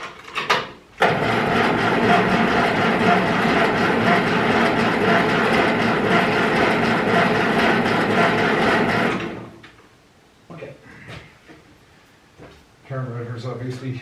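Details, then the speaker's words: Ferguson 20 petrol/TVO tractor, sat 10–15 years, jump battery to starter, fuel freshly added: starter churns steadily about eight seconds with no firing; carburetor gummed up and dripping fuel, owner suspects stuck float. "GED up so we are going to have to open it up I think kind of hoping we're going to avoid that but um she's dripping fuel so I would imagine float's probably stuck in things"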